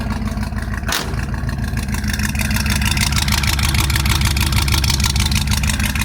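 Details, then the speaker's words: 1971 Chevy C10 V8 with freshly rebuilt carburetor, after sitting, started with choke: steady, even idle, regular low pulse about three per second, no misses or knocks; running smoothly. "Boy, it sure does run good. Carburetor was just rebuilt on it, so starts pretty well."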